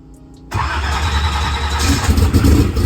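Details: Drag race car, cold, just fitted with a new Powermaster Ultra High Speed starter, brake clean used: short burst of modest-speed cranking that catches quickly into a rough idle. It seemed to crank a little faster and draw less current; owner suspects the battery.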